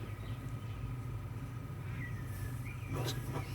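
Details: Early-1940s 3/4 Kelvinator refrigerator just powered up after its cabinet light was rewired; the fully flooded evaporator has no liquid refrigerant yet because it has not been running. Steady low compressor hum with no knocking or rattle; running normally.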